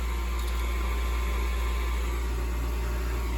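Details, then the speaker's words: Gas furnace at startup with a hot surface igniter; the gas was just turned on and the switch flipped for a controlled firing. The draft inducer spins up with a smooth, steady low drone and no rattles: the inducer motor runs normally. "Okay. So inducer motor runs."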